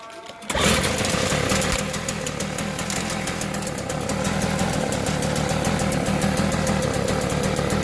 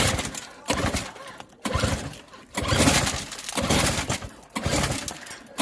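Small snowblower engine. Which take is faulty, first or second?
second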